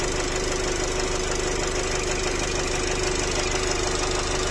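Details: Nissan X-Trail 2.0 dCi diesel, 250,000 km, idling: steady, fairly even knock of about two per second over the diesel clatter. Piston knock suspected.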